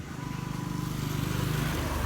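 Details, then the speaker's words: Carburetted motorcycle that had lost compression and would only start with oil poured into the spark plug hole. After the valves were lapped, it runs normally: loud open-pipe putter with regular firing pulses rising with revs, no misses. "Jadi intinya motor ini tadi Los kompresi hilang kompresi setelah disekir dilakukan penyekiran akhirnya hidupnya pun normal"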